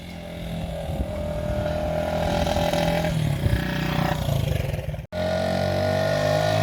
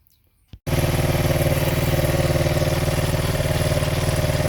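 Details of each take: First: 1975 Honda XL100 K1 single, on its first ride. Uneven, hesitant pull under throttle, briefly cutting out and picking up again. A little choke cures the stuttering, so the owner thinks it wants re-jetting: lean mixture. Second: 1975 Honda XL100 K1 single, with the original carb swapped for a Chinese carb. It catches and settles into an even, steady putter of about four beats a second, ticking over smoothly with no misses: normal idle.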